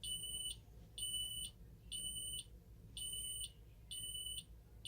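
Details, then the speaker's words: Ademco 6128 alarm keypad, armed stay with the police zone activated: roughly one high-pitched beep a second with uneven lengths and gaps, the keypad's own sounder stuttering, a fault of the keypad itself, not its power supply. "Good Lord, you can really hear that keypad stuttering."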